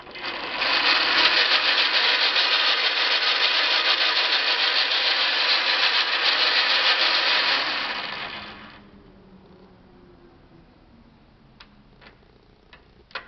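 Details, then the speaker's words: Logan 10x24 Model 200 metal lathe, 3-phase 2HP with tailstock turret: harsh, gritty grinding at about three beats per second that dies away as the lathe stops; cause unclear. "This is where you hear the grinding."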